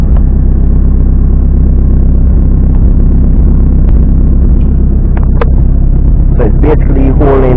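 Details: Turbo Toyota Vitz idling; deep, steady rumble with an even pulse, no hunting or surging: normal idle.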